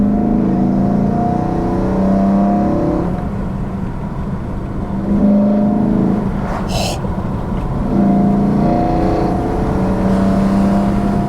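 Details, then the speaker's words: 2011 BMW E92 M3 with rebuilt S65 V8, upgraded cams, during first drive running in the engine: smooth V8 note rising and falling evenly through the gears over road noise, no knocks or ticks; engine healthy. "far, thoroughly enjoyable drive. The engine is working lovely."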